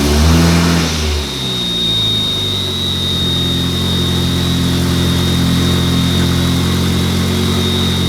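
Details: Mark IV Jetta after the clutch problem was fixed, with the brake master cylinder replaced earlier. A quick blip of revs, then a smooth, even engine note with no knocks or misses; the engine sounds healthy and much better now.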